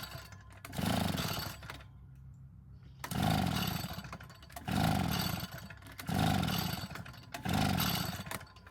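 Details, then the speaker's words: Vintage Echo two-stroke blower: bursts into a rough roar for about a second, dies, and repeats five times, running only on primed fuel. Owner suspects the carburetor's pumping diaphragm isn't pulling fuel from the tank; unconfirmed. "the only thing I can come up with is that the pumping diaphragm is not working to pull any fuel from the tank"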